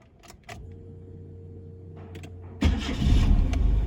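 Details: Nissan Sentra that had stalled while driving and was hard to start, after finding and fixing a damaged, leaking fuel hose: short starter whir, then it catches and settles into a steady, even idle with no stumble or misfire; normal start.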